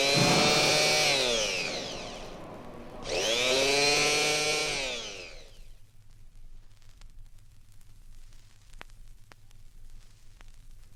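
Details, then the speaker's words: 1964-era engine-noise diagnostic recording: faulty electric starter on the drive side, pinion not engaging flywheel teeth (flywheel teeth may be damaged). Two high free-spinning whirrs winding up and dying with no cranking; starter or flywheel must be removed and repaired. "Another faulty electric starter. This one faulty on the drive side. The pinion or cog is not engaging with the teeth on the flywheel."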